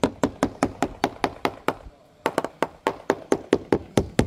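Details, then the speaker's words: Quick steady taps on the topside of a balsa-cored GRP yacht hull after collision with a fixed post give a dead, papery thud instead of a crisp ring; the laminate has delaminated from the core. "Uh, and you can see there's um clearly delamination between the the core. In fact, if I put my foot on it, you can hear it."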